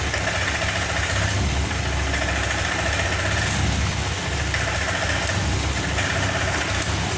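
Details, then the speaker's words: Honda Vario 125 FI scooter that won't rev whether throttled suddenly or slowly: engine chugs unevenly at low speed, pitch never climbing, stumbling (brebet) problem. "Vario ini seperti yang kita lihat tadi teman-teman, bahwa motor ini tidak bisa digas. Jika digas spontan ataupun perlahan, motor ini gasnya tidak mau naik,"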